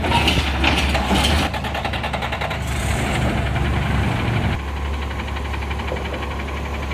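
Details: Rapid Rail recycling truck 2817 with an exhaust leak, accelerating: rough diesel idle with a fast, crisp puffing tick that rises with throttle, typical of an exhaust leak near the manifold.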